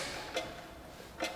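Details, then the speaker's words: Bearing being pressed into the hub with clamps: two sharp metallic clicks about a second apart as the snap ring seats into place; pressure must keep increasing to ensure the snap ring is fully clicked in. Snap ring seating properly. "so Tommy is almost pressed in the bearing in a moment we'll hear how the snap ring clicks into place"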